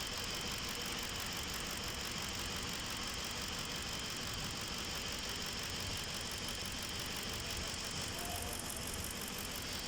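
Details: Ford Expedition idles with an uneven stumble about three times a second under a steady hiss; misfire, cause not yet known.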